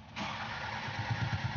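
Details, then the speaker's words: Isuzu 4HK1 diesel truck with check engine light, DTC P0651 flash code 56, ECM relay suspected: starter turns engine over with even compression pulses about seven per second but it never fires; crank no start. "Hindi po umaandar Ito nag-cr lang siya Tapos hindi umaandar Hindi tumutuloy may problema po ito"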